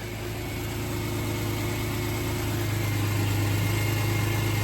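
Steady, even low idle with a smooth hum and no knocks, ticks or misses; engine idling normally after an oil change.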